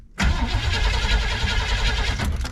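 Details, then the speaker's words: 1979 Chevrolet C10 squarebody, 350 V8, after repairing column ignition; short crank, catches right away and settles into even rumbling idle. Normal cranking and start. "cranks up like she's supposed to"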